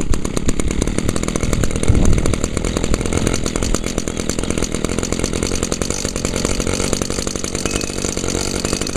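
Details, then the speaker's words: 2011 Echo PAS 230 with a 22.8 cc two-stroke runs at much higher rpm than the SRM 225, with a steady, even high-revving buzz and no misses or stumbles. Normal running. "yeah as you can hear that this one runs at a much higher RPM than the srm225"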